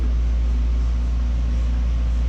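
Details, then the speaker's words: Invacare HomeFill 2 oxygen compressor after replacing the cylinder 4–5 seals, valve closed and now charging the tank: low, steady, even hum with no knocking or leak hiss; it sounds better (it soon starts knocking). "Sounds better. We are now charging."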